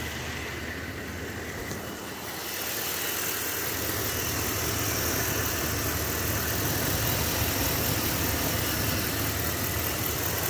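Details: Brand-new engine at idle: steady whirring drone that barely changes with rpm and is faintly heard at shutdown; source unclear, owner wonders if it's the cooling fan.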